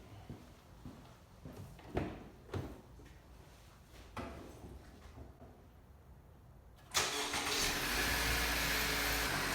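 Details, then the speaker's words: 2017 Honda CR-V, 5 years old, 81,500 miles, after spark plug replacement with NGK Laser Iridium plugs: a few quiet clicks, quick crank, catches cleanly and settles into a smooth, steady idle; normal start and idle. "Okay, so sounds good."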